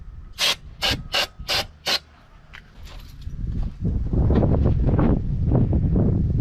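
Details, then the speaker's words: 42-year-old Army Jeep not started since 2009, with the air filter off and starter fluid sprayed into the carb: five short hissing bursts, then the engine catches and rumbles up roughly; it fires briefly on starter fluid but won't keep running. "that was promising first try just basically burnt the starter fluid but let's give it another"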